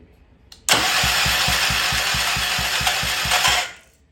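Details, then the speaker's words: Old Troy-Bilt Pony rototiller engine cranked with a temporary battery: three seconds of even, firm thumps about six per second, each stroke pushing back the same; compression is good. "all right now let's see how it sounds oh I hear compression"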